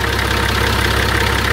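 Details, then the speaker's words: TD42 diesel, cold, idling after an earlier thumping sound was cured: even, steady diesel clatter with a firm low thrum and no thump or knock. Runs smooth; normal idle. "none at all that's cold though got to be happy with that Harrison it's good Thomas I love TD 42s they sound so freaking good"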